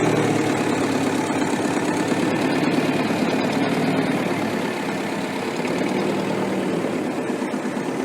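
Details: Restored Ferguson TEF-20 diesel tractor, 98% complete: even steady tick-over with soft regular beat, no knocks or misses; normal healthy idle.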